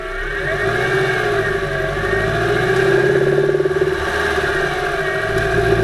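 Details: 2008 Subaru Impreza 2.5i, camera above driver-side timing belt cover, driving: irregular light tapping knock under light-moderate load around 2500 rpm in any gear, fading with more load, absent below 2000 rpm or with no load; some rod-knock traits, cause undiagnosed.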